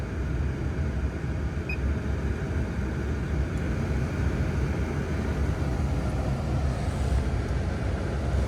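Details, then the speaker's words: Land Rover Discovery 2 blower motor after removal and cleaning of debris: smooth, steady rush of air with a low, even hum and no rattle or drone; fixed, runs cleanly. "Truth oh yeah that is way better oh wow quite the easy simple fix"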